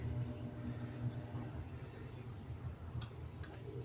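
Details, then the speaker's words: Samsung RS27KLMR refrigerator (board DA41-00139A) that stopped after a power problem, with a damaged connector cable and terminal: steady hum, then two sharp relay clicks as the compressor starts; normal relay clicks and compressor start. "Accionamiento de relevadores y ahí tenemos el arranque del compresor."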